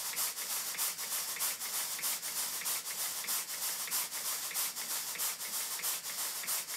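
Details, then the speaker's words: Model large duplex steam pump (Southworth Engines) after tweaking the valve timing. Even, hissy exhaust chuffs about one and a half a second, running smoothly: normal steady exhaust beats. "i'll stop talking and let you listen to the exhaust beats"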